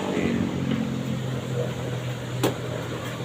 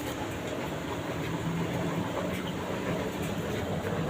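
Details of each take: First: LG 15 kg washing machine after replacing the drum spider and bearings: a steady low hum on spin with one light click and no grinding or rumble. The spin is smooth and normal. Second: LG 15 kg washing machine that smoked yesterday: drum turns with a coarse rolling rumble and faint clatter; drum bearing found loose, possibly overheated from heavy loads.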